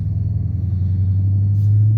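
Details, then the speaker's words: 2013 Dodge Charger 5.7L V8 after replacing the ABS wheel speed sensor (codes C0037, C212A, C2100, C2101): steady, smooth low rumble with an even beat and no knocks, ticks or whine; codes and lights cleared, engine sounds healthy. "a good day always feels good to remove codes remove lights oh it sounds healthy"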